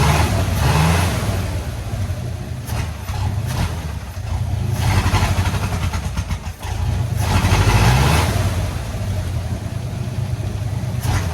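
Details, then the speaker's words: 1984 Ford F250 with a 351W V8, neglected for years, running only off the tank: deep rumble swells and sags unevenly as the throttle opens, never revving cleanly; bogging. "as youall may remember this truck was extremely boggy and would not Riv up"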